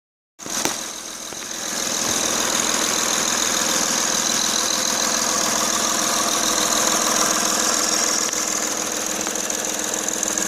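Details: 2006-era?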